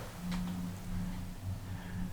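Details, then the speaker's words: Olympe gondola lift, Brides-les-Bains to Méribel (in service 1991), in the station: low, steady rumble with a faint hum from the conveyor chain that slows, launches and carries cabins through the station at 1 km/h; no knocks or squeals; normal. "le convoyeur c'est un ralentisseur et lanceur prend la cabine en charge tout au long du parcours en gare et toujours à faible vitesse 1 km/h c'est cette espèce de chaîne qui qui qu'on entend quitter tout le long de parcours et qu'on voit d'ailleurs"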